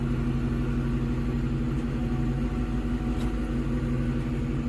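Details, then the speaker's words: 2004 Ford Mustang GT that sat about six weeks as a crank-no-start, with the fuel pump already replaced and spark confirmed. A steady, loud, even hum with no knocks or surges. Normal fuel pump priming. "oh yeah you can definitely hear it yeah you can hear the fuel pump wild"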